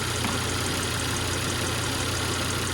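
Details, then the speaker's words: Volvo V70R on a road test after the power steering was repaired and bled; smooth, even running with a steady hum and no pump whine, knock or tick, and no leak, so the engine and power steering sound normal. "well out on the road and the power steering is working I don't hear it sounds great it doesn't leak"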